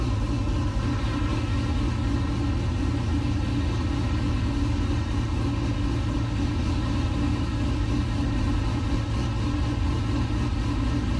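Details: 1969 C50 farm truck LS-swapped V8 (Frank) idling after a power steering rebuild and bleed, still leaking slightly: deep, steady burble with even firing and no ticks or misfires; engine running smoothly and healthy.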